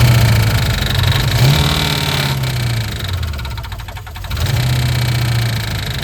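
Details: 1988 Mustang GT 5.0 V8 with carburetor conversion (intake, 2-inch spacer, 750 double pumper), Duraspark distributor, factory headers, 2.5-inch exhaust, fresh oil: rough uneven idle, beat near three per second with a brief dip; odd noise, cause unclear.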